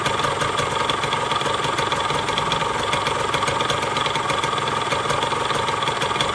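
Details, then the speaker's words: Yamaha RX King two-stroke, after a rebuild for a klotok knock: new connecting rod, piston, crankshaft bearings and clutch, all parts new. Steady, smooth buzzing idle at an even pace, no knocks or surging; running well. "nge-rap suaranya seperti itu halus banget tes kopling baru sel semua baru semua"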